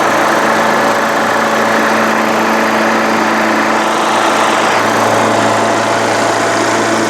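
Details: Craftsman LTS1500 lawn tractor with rebuilt 17.5 HP Briggs OHV single-cylinder made from two blown engines, full oil, valve lash redone, PTO and mower deck running: smooth constant hum with a clean low beat, no knocks, surges or vibration; healthy.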